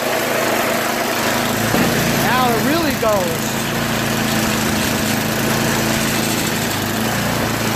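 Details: Yard Machines MTD 8HP 24-inch snow blower single-cylinder engine idling steadily and evenly after its cracked oil breather overflow tube was cut and rerouted over the fuel line following an oil leak; no misses or surging, runs healthy.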